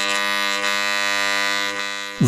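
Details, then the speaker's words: Angle grinder with working armature refitted and brushes fixed, run directly from mains: steady, even buzzing hum with no wavering or rough spots; normal armature hum. "We fix the brushes and listen to how the angle grinder should work from the network. It's a completely different matter."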